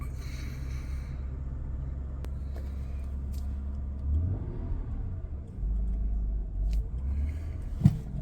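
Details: Honda Accord V6 Coupe 3.0 litre, first start after weeks off the road, battery trouble: quiet, smooth low rumble with brief swells, no knocks or rattles; normal running.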